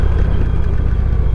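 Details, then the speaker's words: Motorcycle at idle, a dense low rumble with a loose, uneven clatter; clutch noise of unknown cause, usually gone once warm, but just as bad after the spring was replaced. "It's usually gone when it warms, but it's just as bad as it was at the beginning before I changed out the spring."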